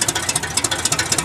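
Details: 1978 GMC K25 after years of sitting, with one exhaust header connected and one hanging open. Sharp, rapid puffing pops over a thin engine note; exhaust leak at the disconnected header.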